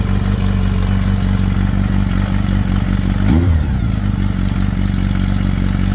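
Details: Kawasaki ZR7 motorcycle at idle: light, regular clatter about two to three per second riding over the engine beat; owner asks what the engine noise is, cause not identified.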